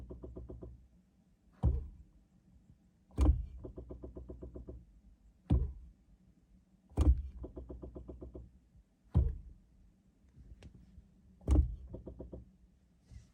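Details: 2017 Chevy Bolt electric car at delivery, under warranty: sharp clicks about every two seconds, each with brief buzzing rattle, from brake booster area; cause unconfirmed.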